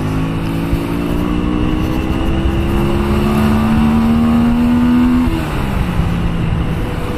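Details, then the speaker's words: 2000 Honda Shadow 125 after two years stored, riding: smooth note rising with speed then easing off throttle, no misses or knocks; pulls cleanly, oil change still due. "Bon ben écoute, ça roule super bien. Super bien. Je suis content."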